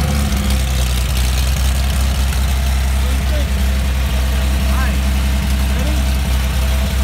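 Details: Mercedes-Benz 300SL engine on test after re-jetting, not yet in the car or under load: deep, steady low idle rumble with even firing, no knocks or misses, crisp ripping exhaust at RPM; normal idle and rev.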